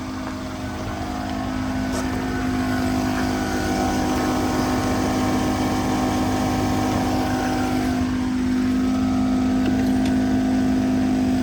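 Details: 2014 Mercedes S550 W222 Airmatic, driver-side compressor (aftermarket unit, previously failed) under diagnosis: steady even hum with fast regular pulse about four per second as the car raises after being lowered; pump only kicked on once lowered, running normally here.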